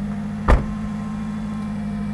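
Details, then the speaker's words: 1991 Subaru Sambar Dias2 AWD supercharged fuel-injected kei van, cold start on a cold day: fuel pump heard, quick catch then smooth steady low hum with no stumbling; starts easily, normal cold start. "all right starts very easily it's fuel injected most of them are carburated this particular one is fuel injected I hear the pump and up we"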